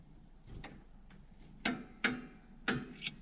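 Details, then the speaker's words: 1966 Chevy Nova drum brake adjustment: sharp uneven clicks about every half second as the star wheel adjuster is turned; ratcheting normally, possibly a little tight but the wheel still spins. "You can hear it click. So I probably got it a little tight. Still spins."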